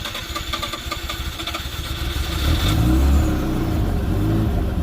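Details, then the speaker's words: 1988 Mazda RX-7 FC3S S4 rotary with emissions delete, previously stuck idling at 3,000 rpm, after bypass fix (first gear, clutch in, off brake): settles from raised revs to a steady buzzy 750 rpm idle; normal idle. "off the brake and it's idling at 750"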